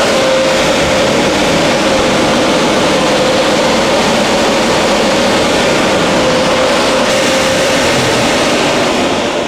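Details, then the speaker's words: ProLine 1300 CFM inline range hood blower at high speed after rebalancing to cure vibration: steady, even rush of air with clean tone around 550 Hz, no wobble or thumping; now smooth and very quiet, normal running. "now that it's balanced we just get that nice smooth up"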